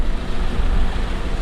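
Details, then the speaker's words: Acura TSX four-cylinder at idle before repair: lumpy idle with uneven low thuds breaking the rhythm, engine shaking, check engine light flashing; cylinder 3 misfire (P0303) from a bad ignition coil. "Alright, you can see the cylinder is misfiring and the engine has a shake on it. The check engine light is flashing as you're driving."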